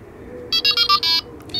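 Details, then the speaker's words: Delkim TXi-D bite alarm with receiver: switching off the alarm unit triggers the receiver's anti-theft alarm, short high beeps in a run of five, pause, then steady tone; stopped by holding any button. "spento all'avvisatore è partito un allarme quindi come faccio a spegnere l'allarme basterà premere un qualsiasi pulsante per qualche secondo"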